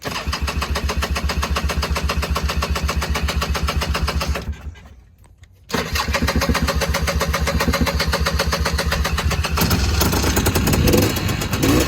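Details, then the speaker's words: Honda FL400 Pilot, cold start at about 50°F in neutral with choke, not started since last outing: fires into a quick, even crackle, slight smoke on choke, idles well cold; clutch makes some noise when cold at idle; healthy cold start. "I can kick the choke off and it'll actually idle pretty well to be cold. So you can tell there's not a lot of smoke there. The clutches in these machines will make a little bit of noise when they're cold, especially at idle."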